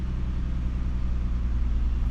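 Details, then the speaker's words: 2013 Ford F-150 idling, heard from the cab through park, reverse, neutral and drive after a clamp fix for an exhaust heat shield rattle that began after hitting potholes; steady deep idle, rattle gone. "Park reverse neutral Drive rattling is all gone"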